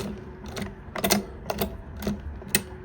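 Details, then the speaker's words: Teletype Model 33 KSR, unpowered, mechanism turned slowly by hand with cover off: irregular dry clicks and clacks; owner notes possible slop in the motor bearings, cause not evident. "clicking and clacking here. Looks like we might have a little slop back here on the motor bearings, too."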